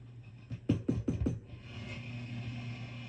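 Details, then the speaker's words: Orange Rocker 30 tube guitar amp with microphonic power tubes: low hum, then four sharp crackling pops in a second, as if about to short, from poor power tube pin contact in worn sockets. "sounds like it's about to short. All right, these are some very unhappy tube sockets."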